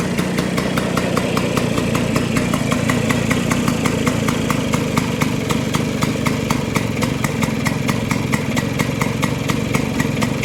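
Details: Vespa two-stroke after carburetor setting, both jets fully tightened and air screw at two turns; a rapid, even putter with crisp regular ticks and no misses or hunting, normal idle.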